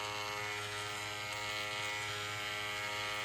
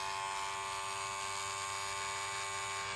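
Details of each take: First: Wahl 108 hair clipper after replacing the badly worn small blade: steady thin motor buzz with a faint rattle. It is quieter than before but still noisy from worn internal parts. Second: Wahl 108 hair clipper after reassembly with new lubrication and a lubricated blade: steady, even electric buzz, clean mid-pitched tone, no rattle or grinding; noise reduced versus before, running normally.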